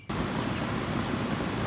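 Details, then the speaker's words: Outdoor AC condenser unit after freeing a seized fan blade, started via Honeywell delay; steady even air rush and fan hum, blowing leaves and very hot air, no scraping; fan running normally. "All right, she's running. Blowing some leaves out. Flaming hot air coming out of it."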